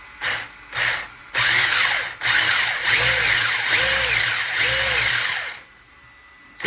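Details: 1/10 Holden Heroes VE SS Ute RC car with replaced brushless motor and Hobbywing ESC, belt drive to all wheels: short throttle blips building to a smooth high whine rising and falling cleanly, no grinding; normal brushless motor run.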